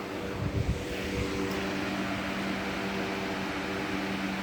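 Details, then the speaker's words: Lasko 3733 box fan running, bearings in good condition: steady low hum with smooth airy rush and a few handling knocks at first; very noisy but runs evenly and healthy. "these things really really get the air moving in a room i will say and this is very noisy and i have to speak over it it moves a bit of air"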